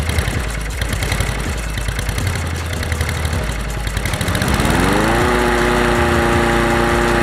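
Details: Honda HR17 lawn mower that had starting problems on recommissioning, fuel supply checked after repair; fires up, climbs smoothly to steady governed speed and holds an even hum with no misses; normal start and idle.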